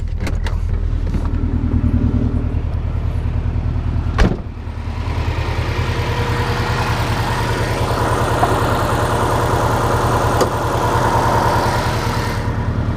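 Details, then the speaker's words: Subaru 2.5RS with swapped EJ205 turbo engine, stock apart from turbo inlet, no axle-back muffler, no check engine light: loud, raspy exhaust with a steady, even pulse after start, no misses or knocks; healthy idle. "but yeah that the car is running good like I said there's a couple more things I need to fix but it idles really well it starts up every time there's no no glitches at all"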